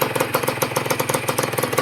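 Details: Honda NSR150RR two-stroke after a shop rebuild, test run before return: crisp, even popping at steady idle, about ten pulses a second, no misses or knocks; normal idle. One loud part sounds like an exhaust leak.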